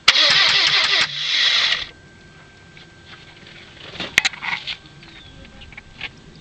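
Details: 1997 Saturn that won't start: starter churns in quick, uneven pulses for about two seconds, then goes quiet; engine cranks but never fires.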